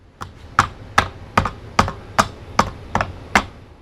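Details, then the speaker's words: House inspection, framing struck with a three-tine garden hoe on an extension arm: eight crisp, sharp taps about every 0.4 seconds, quick decay, no hollow boom; framing sounds solid. "That's solid. If I hear something hollow, that's a different sound. No, that's good."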